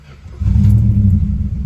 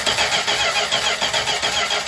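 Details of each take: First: 1963 Chrysler 300J, 413 RB V8 with cross-ram induction, carbs not yet gone through, timing unchecked: brief crank, catches at once into a deep steady rumble; clean start, idle a little under the specified 900 rpm. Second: 1963 Chrysler 300J with 413 RB V8 and cross ram induction on a first revival start, carbs prefilled with fuel: cranks and catches, then loud raspy chuffing on every firing pulse from a blown-apart muffler loosely held with pipe tape; exhaust leak.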